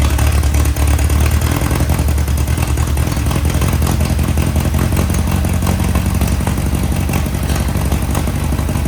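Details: 1961 VW Beetle barn find air-cooled flat-four, revived after sitting: loud, steady chatter picking up smoothly when revved, no stumbling or misfire; runs clean, pipes all hot.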